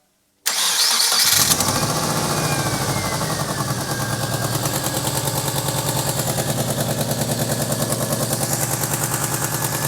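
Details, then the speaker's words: Modified show car with naturally aspirated engine (no turbo, though fitted with a boost gauge), started in neutral: loud, even clack-clack ticking at fast idle, audible across the road; burnt grass beneath suggests an exhaust manifold leak, unconfirmed. "really bad noises. You could hear it from the other side of the road. Yeah. Going clack clack clack, but fingers crossed it's something simple"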